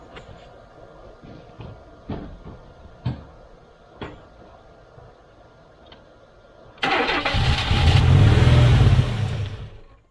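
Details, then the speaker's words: 1991 GMC Sierra 4.3 Vortec with a new distributor, gasket missing at the fuel-injection unit: after faint clicking the V6 catches and shoots straight up to a high roaring rev, so it is shut off. High idle on start; cause suspected. "Okay, I don't really like having it rev up like that, so we're going to stop because I don't want it to start and immediately rev like that. That can't be good for it."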